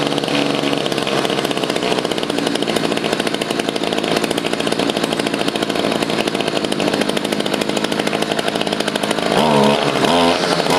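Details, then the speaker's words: Stihl FS55 trimmer after carburetor replacement and idle adjustment; quick, even two-stroke putter holds steady idle with no surging or stalling, brief blip near end; idle set correctly, clutch working. "You can see it is idling now. I did have to adjust the carburetor. These carburetors never come set up properly from factory."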